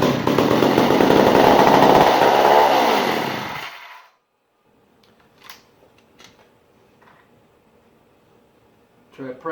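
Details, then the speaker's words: 1959 McCulloch 1-70 87cc chainsaw, stored almost 30 years: catches with loud ragged roar, holds a few seconds, then dies; gas leaking between carburetor bottom gaskets keeps it from sustaining, likely needs carb kit. "I did get this to fire it just cannot sustain because of this current situation"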